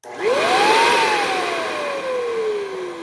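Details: Hoover Encore U4595 vacuum after partial refurbishment, short test burst: the motor whines up smoothly to a steady high pitch, then coasts down evenly with no grinding or rattle. Normal motor run.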